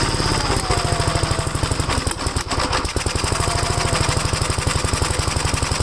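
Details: Gravely single-cylinder engine at first start after gas tank install and new battery terminal: quick, even firing beat with heavy low thump and no misses, on choke before carburetor adjustment; choke later turned fully off and it runs all right.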